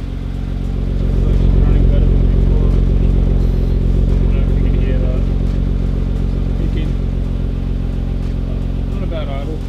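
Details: Nissan Skyline GTR untouched for two years, cold start about 40 minutes after stopping, with engine flush added before an oil change. Steady low idle with an even, quick pulse and no knocks or misses; it settles smoothly.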